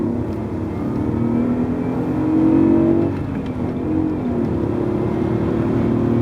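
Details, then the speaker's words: BMW E39 4.4 L V8 on a road test of 5–10 minutes after spark plug replacement and cleared codes: smooth, steady engine note through all RPMs with no knock or misfire, no check engine light; no longer knocky, normal acceleration. "no check engine light sounds good been through all the RPMs and uh sounds great isn't knocky anymore"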